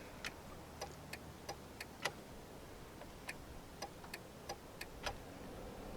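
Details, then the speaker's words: 2000 Jeep Cherokee: turn signal flasher relay clicking fast, about two a second, sharp and slightly uneven, with no exterior lights or dash indicator blinking, because the turn signal switch hangs and doesn't click fully off; touching the switch stops it. "All right, I don't know whether I hit it coming in, but if you could hear that real fast clicking, there's no lights blinking right now. There's no indicator on the dash blinking, but the flash is going like crazy."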